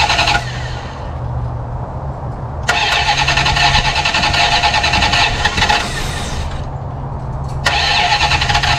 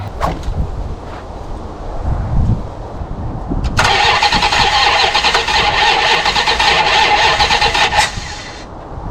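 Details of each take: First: 1974 Plymouth Satellite Sebring Plus off the road about 20 years, first run after adding about three gallons of gas: catches and revs in even bursts, steady beat, no valvetrain clatter; oil pressure gauge not working but pressure assumed; normal running. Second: 1974 Plymouth Satellite Sebring Plus off the road about 20 years, first start attempt on poured-in fuel: sharp pops while cranking, ragged rough run about four seconds then dies; backfire because plug wires are in the wrong firing order.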